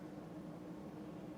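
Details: Lasko 52-inch "top mount" ceiling fan made by Sanyo circa 1983-84, wood blades at 13-degree pitch, on high speed around 190 rpm; faint steady low hum at one even pitch, no knocks or wobble, a mild running moan.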